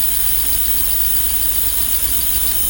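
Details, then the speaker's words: GMC Safari 4.3L V6 TBI, 215,000 miles, after replacing both fuel injectors and rebuilding fuel pressure regulator: smooth steady idle, no popping or missing as before the repair. "okay that sounds good to me I'll have to test drive it to make sure but that sounds great it was kind of popping and missing before so now it is good"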